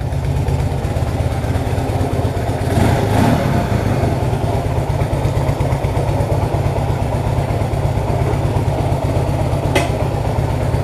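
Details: 1966 Honda Dream, first start for a test ride after wiring rebuild, engine adjustments and repaint, rainy day; the small twin settles into a low, steady putter with one brief blip, no knocks or rattles; normal idle.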